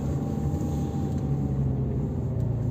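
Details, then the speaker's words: CV joint check on a 2008 Mazda 6, 103 kW diesel, manual, 247,000 km: reversing on full lock. Smooth, steady low engine drone with no clicking or popping from the driveshaft ends. Healthy CV joints. "Peaks olema kuulda poolteeli otsa juhul, kui sellel miskit viga on. Aga ei ole mitte midagi kuulda."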